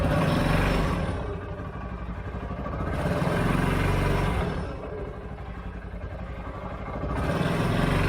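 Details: 2013 CFMOTO Z Force 6 after a fuel pump change, with 45 PSI and the filter primed but the tank probably low on fuel: engine revs smoothly in two even swells, then drops back to a steady run with no misses or knocks; running fine.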